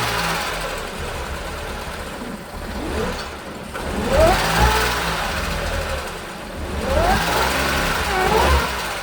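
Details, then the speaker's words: 2014 Audi S5 supercharged V6: rough lumpy running that surges and sags with knocking and no steady idle, sounding low on compression, then dies. "Oo, sounds kind of low on compression."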